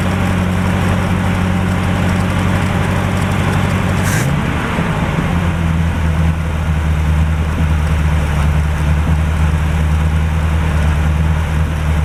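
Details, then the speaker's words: 1949 Chevrolet first started after long storage, with smoke seen: low, steady idle that dips briefly and settles lower while warming; the thermostat has opened and coolant circulates, oil pressure unmonitored and a concern. "But the thermostat has opened up. The water circulating through the motor like it should."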